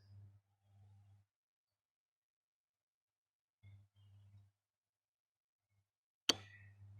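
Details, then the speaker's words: Relay on a bench practical as coil voltage is slowly lowered: quiet hum, brief buzzes, then one sharp click as the armature drops out at about 3 V, coil current about 50–60 mA; relay de-energizes, normal release click. "एका certain स्टेजला परत तो आवाज येईल आपल्या रिलेचा, आणि relay तुमचा D energise स्टेटला जाईल."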